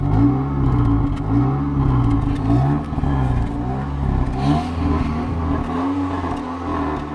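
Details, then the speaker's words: Toyota 1ZZ-FE engine during solvent decoking, idling with light throttle after solvent was poured into the cylinders. Idle hunts and stumbles, sagging and recovering unevenly as if about to stall; rough running from the solvent. "Le moteur n'aime pas trop ce qu'on a versé dans les cylindres, il essaie de caler, sape, il ne survivra à rien."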